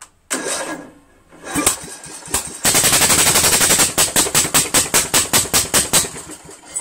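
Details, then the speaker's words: Craftsman lawn tractor with Briggs 17.5 HP engine that has long refused to start, flywheel key removed and magnet hand-aligned to the magneto at top dead center: sharp evenly spaced pops, about three a second, run for a few seconds then it dies; timing suspected. "Tony Vento's idea works we saw it ran for a second that's the most we've ever seen it"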